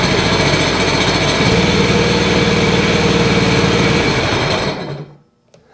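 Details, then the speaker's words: 2009 Sea-Doo Wake 215, 215 hp supercharged 4-TEC, with an overheating issue and an ignition coil 3 short-to-ground fault: lumpy, uneven beat at about four pulses a second during a cylinder 3 disable test, with no change heard. "Nothing's happening on the third one. No change."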